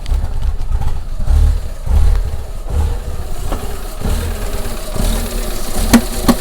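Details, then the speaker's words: Rough, uneven idle with low rumble, then sharp bangs near the end; intake pressure sensor already replaced and errors cleared but engine still shakes; banging source not pinned down, owner suspects something moving that opens and closes. "whoa now what is that banging noise so that's opening and closing so what do you think that banging noises so tell where that banging noise is coming from"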